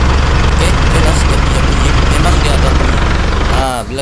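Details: Isuzu D-Max iTEQ diesel at idle, heard from outside the vehicle: deep, rough, steady clatter, smoother with the clutch pedal pressed and rough again on release. Gearbox removed; the rough engine noise came from a loose clutch disc, old clutch lining and cover replaced with new.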